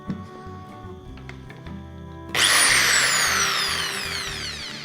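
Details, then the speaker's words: Pumpkin electric drill after inspection and reassembly, tested in forward and reverse: spins up to a clean high whine and winds down smoothly with no grinding or rattle; motor runs normally. "นี่นะครับสำหรับหมุดได้ตามปกตินะครับก็สรุปว่าสว่านนี้ใช้งานได้ตามปกตินะครับ"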